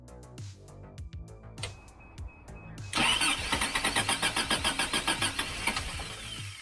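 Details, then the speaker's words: Freshly rebuilt Toyota 22RE with performance camshaft, first start: slow, uneven three-second crank, then a ragged beat that barely holds; ignition timing off by about a tooth. "all right not having too much luck it does sound like it's just not quite in time so we'll get out here and we'll screw up the distributor a little bit move it back and forth see what works best"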